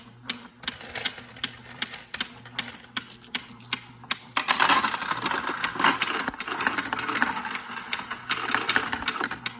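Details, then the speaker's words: Royal Sovereign Quick Sort coin sorter after about 14 months of use: sharp clicks a couple of times a second when Run is pressed, then coins rattle through; normal anti-jam clicking. "So what it is if you click run right here, the little button right here, you will hear like this clicking noise, and that's normal. If it's not doing that, your machine is broken."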